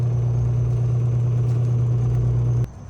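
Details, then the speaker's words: Frigidaire dishwasher that came in with no power, no display and an i40 error: with the flood sensor unplugged, the drain pump hums steadily for about 2.5 seconds then cuts. The board reads a false flood signal, suspected as the problem. "So, you can first unplug him and check your display and see see turns on the drain pump. So, I'm pretty sure this is going to be a problem cuz now he thinks this thing is flooding."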